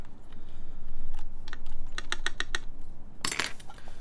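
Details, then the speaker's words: 4398 full-size keyboard, aluminum plate, Gateron X R2 switches, screw-in Staebies v2 stabilizers lubed with Krytox 205g0, spacebar screw installed: uneven keypresses, spacebar a dull flat clack; owner suspects stabilizer too tight, not confirmed. "pretty I think it's kind of just a little tight on the on the stab here which is why it kind of sounds a little flat but in regular typing it seems fine"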